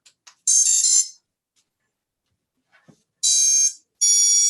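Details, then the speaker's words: QAVR drone being rebuilt over a slight twitch, testing a four-in-one ESC: short high beeps, one burst then two more, a normal ESC startup tone. The fault was a four-in-one plug that blew apart in a crash. "all right so I have everything isolated nothing's touching doo-doo dee-dee-dee-dee we should hear the startup tone"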